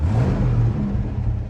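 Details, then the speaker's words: 1972 Ford Falcon XA V8, off the road 16 years, after oil top-up, quarter temp, no warning lights: blip rises quickly and falls back cleanly without stumble; healthy throttle response. "the throttle response is actually, that's actually really good."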